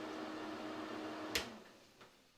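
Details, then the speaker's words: Bathroom exhaust fan after fitting a new replacement motor (model 9908-0165; old one moisture-damaged): steady airy whoosh with faint even hum, then click and quiet spin-down; flows well, smooth and quiet. "flows good nice and quiet"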